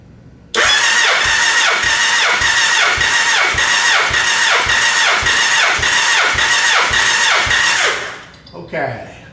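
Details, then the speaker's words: Gen 1 Suzuki Hayabusa with an ignition miss, cranking compression test on cylinder one: the starter cranks at an even four beats a second with no weak strokes as the gauge climbs to about 173 psi, normal compression. "i'm just going to crank it over the needle is going to continue to climb as it builds pressure and then it's going to stop once it stops i let go of the starter button"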